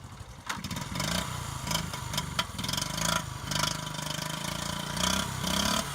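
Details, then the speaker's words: 1983 Honda Z50R pit bike, mostly original with new gas tank and petcock, cold start with gas on and choke on; catches at once and settles into a fast, steady choked idle with crisp blips; normal cold start. "Just all it is a kill switch here, gas on, choke on, and it usually starts first kick."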